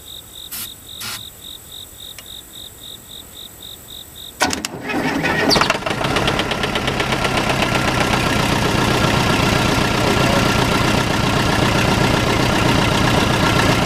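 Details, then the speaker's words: Case 580C backhoe, unrun for 10 years, fuel tank bone dry, cranked on ether: faint ticking, short crank, diesel fires and climbs to an even steady run; started on starting fluid. "Let's throw some ether down this thing and crank it. Starting fluid, whatever it is."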